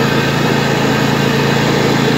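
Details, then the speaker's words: 2007 Husqvarna YTH2454 riding mower, deck belt removed, running after a wash: steady engine with an extra busy chatter and rattle from the drive clutch, which the owner says shouldn't make that noise; drive clutch noise. "you guys hear that that is the drive clutch it's not supposed to make all that noise either"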